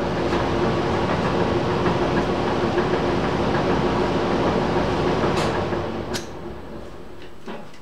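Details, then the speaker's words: Old squirrel cage blower running just after its worn belt was replaced, belt possibly a little too tight: a steady airy rush that is much quieter, with only a light, even rattle from the cage. Normal running. "as you can hear it's a lot quieter a little bit of rattle to the blower it's softer it ain't"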